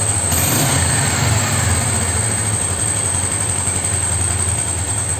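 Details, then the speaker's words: Yamaha Special 250 motorcycle with hard cold starting, cold-start retest after repair, choke pulled: steady low putter with fairly even beat around three per second, no misfires; cold engine starts and idles cleanly, problem solved. "damos contacto en moto frío sin problemas tiramos un poquito del aire estiramos del aire damos el arranque pero soluciones"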